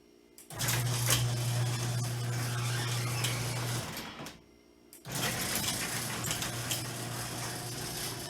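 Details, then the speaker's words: Prototype Bluetooth-controlled garage door opener triggered from the app, working normally: the motor starts, runs steadily with a low hum and chain rattle, stops, then restarts; the relay click is faintly audible. "and you can also hear the uh audible noise of the relay clicking and pressing this it may be hard to hear but you can hear the relay actually clicking"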